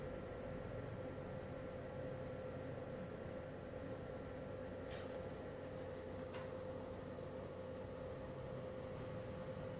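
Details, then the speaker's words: LG portable air conditioner just after compressor start, set to 16°C maximum cooling, microphone close to the side where the compressor sits: a steady, even compressor hum with a constant mid tone and no knocks. This is normal compressor running. "é uma pessoa com compressor ligado em 16° tá que é aí a modo máximo de refrigeração do equipamento fizeram que a gente não teve uma alteração elevada é ficou dentro do esperado"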